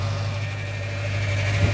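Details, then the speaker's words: Auction car, engine bay open at idle: steady low idle with a constant thin high whine on top; belt noise suspected, not confirmed, after a rattle at startup stopped. "um sounds very whiny and i reckon it's that i've i've seen that has bell"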